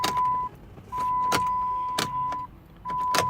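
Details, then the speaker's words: 2009 Chrysler Town & Country: sharp single clicks every second or so over a steady warning chime with no cranking at all; starter suspected, battery first suspected too, jump box connected. "and this ain't supposed to happen to mechanics but it do and ain't even turning over at all"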